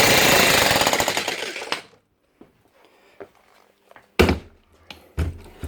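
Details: Logan Tools (Titan-type) electric breaker after repair, relubricated with liquid grease following dropout from dry inside and worn O-rings: rapid, even blows about four per second, then it stops, with no binding; normal hammering.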